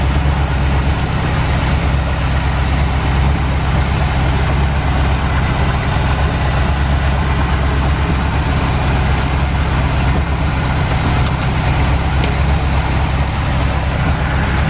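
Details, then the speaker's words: 1949 Chevrolet started after sitting since about 2005: a steady, deep, even idle with a low rumble and no knocks, with lots of smoke from both exhaust pipes; owner suspects oil in the heads or leaking past the valves. "folks, you saw that it didn't take a whole lot to get this thing, get it started. We've got a lot of smoke out of both of the exhaust pipes."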